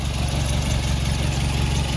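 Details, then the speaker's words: VW Golf Mk1 petrol with CIS K-Jetronic injection, just adjusted to 1.5% CO: steady even low idle rumble, no misses or knocks; running fine though idle RPM judged slightly low, then raised. "Yep, sounds like it's running. So one thing I do know is probably the RPM is a little bit low just for idle"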